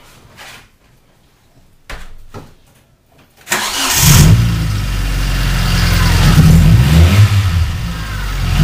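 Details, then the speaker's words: Car running rough since engine shop fixed warped head and reused makeshift spark plug wires, before wire change: short crank then lumpy, uneven idle with irregular shake, backfires when driven; misfire from faulty spark plug wires. "okay okay so that's what it sounds like it's it's not smooth at all when i drive it backfires a lot and it's it's just not smooth"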